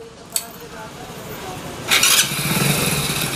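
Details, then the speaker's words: Hero Splendor Plus BS6 fuel-injected after repair (worn clutch plates replaced, timing chain noise addressed): starts first try and holds quick steady idle, no rattle or chain clatter; healthy. "है तो guys engine जैसा उन्हें बहुत प्यारा आ गया है"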